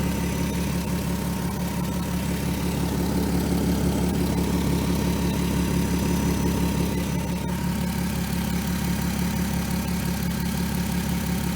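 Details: 2003 Volkswagen Eurovan VR6 after timing chains, guides, sprockets and tensioner replaced, warmed up: smooth, even idle with steady low hum and no rattle or slap from front of engine; healthy.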